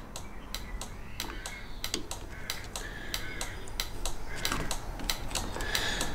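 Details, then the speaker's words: Volvo V50, ignition key out, four-way hazard flashers on while testing the earth of a newly fitted towbar 7-way bypass relay: crisp, steady relay clicks with no other noise; flasher relay switching normally, lights confirmed working through the earth. "So, not only do I know the warning lights are working, I know that they're working through the earth."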